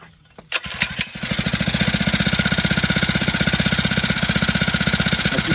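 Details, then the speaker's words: Phatmoto two-stroke motorized bike, started with the choke off: fires up and settles into quick, even popping with no stumbles or misfires; running well. "see it's working great this time I had the choke off"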